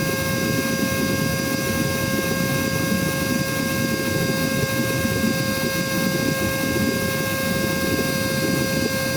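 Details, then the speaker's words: Cordless vacuum (little dolphin) run from a full charge, about four minutes in. A steady high motor whine over airflow rush, and the power and sound are heard dropping as the battery drains. The motor is losing speed. "Okay, I already hear the power go down. I already hear the power go down. You hear the power value, the sound coming down now."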